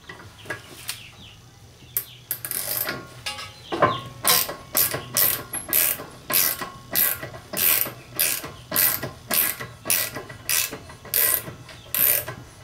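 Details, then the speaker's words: Car on new Advan RGII 17x9 wheels with JDM Type R five-lug conversion, rolling; dry gritty scrape about twice a second with wheel rotation, attributed to rusty brake calipers and rotors, not tyre rubbing; rhythmic scraping while rolling. "and that sound is not rubbing that's just my rusty brake calipers my rusty rotors"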